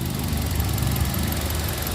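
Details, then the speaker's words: 2013 Kia All New Rio hatchback, manual transmission, engine bay: soft, even, nearly inaudible idle hum with only a faint hiss, no knocks or ticks; normal idle. "Suaranya juga masih halus, nyaris tak terdengar, hanya suara kayak ces gitu."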